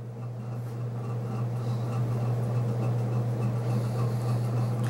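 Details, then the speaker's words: c.1980 Homestead Whisperfan II ceiling fan with a GE motor, on high speed: steady, even low hum with no knocking. It is really powerful and doesn't wobble much. "and now high-speed just all the way it doesn't wobble a little bit and it's really powerful and doesn't wobble much"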